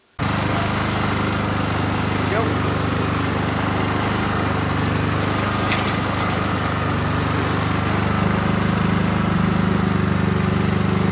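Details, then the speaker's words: Champion generator cranking with CO (O2 Shield) shutoff grounding the ignition: steady starter whir about ten seconds, no catch or fire; cranks but won't start until reading jumps. "all right you see it jump up goes all the way to 151 won't it won't fire it'll crank if I try to crank it it'll crank"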